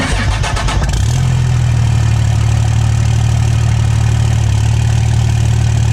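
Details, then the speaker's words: 2007 Ram 2500 4x4 dually diesel with newly installed Flux 103% over injectors, Hamilton valve springs and Smeding pushrods, start after install with oil and coolant topped off: short crank, fires promptly, settles into a steady low clatter at even idle, no misses; healthy start, later burns clean without smoke. "all right it's time to fire this thing up and just make sure oil and everything's topped off and also top off the coolant as well and let this thing warm up"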